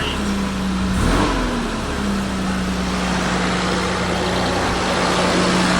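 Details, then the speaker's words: 1989 Toyota Land Cruiser FJ62 3FE engine, first start after desmog/EGR delete with hoses plugged: steady even idle with a quick throttle blip, feels peppier and air now heard moving where before it seemed stopped up; normal idle. "feels a little more peppy already just hitting the uh the gas pedal here. I can kind of hear the the air moving whereas before I couldn't"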